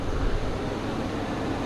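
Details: Nissan Xterra at idle after replacing broken muffler pipes with Walker Quiet-Flow mufflers and a new pipe to both catalytic converters: even, steady low rumble with no rasp, puffing or rattle underneath; exhaust sealed and quiet.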